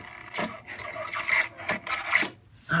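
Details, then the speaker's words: 2003 Kawasaki Ninja ZX-6R 636cc, 15,000 miles, won't start after new battery (12.8 V, ~12.58 V during attempt); starter, solenoid and starter wire all get voltage but starter won't spin, only short whirring/ratcheting squeal bursts without cranking; owner suspects failed starter. "ah that noise is coming from right here which I believe this right here I'm assuming is the starter"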